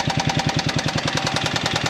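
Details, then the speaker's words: Buggy project engine running: fast sharp metallic clatter about ten beats a second; owner suspects valve clatter, getting louder at higher rpm; exhaust strangely no longer hot. Cause unknown. "ich glaube es hat auf jeden Fall was mit den Ventilen zu tun das hört sich so nämlich an das hört sich an als wenden die Ventile g auf zu auf zu so dieses plackern von Ventilen aber das wird ja mit höhere Drehzahl immer lauter"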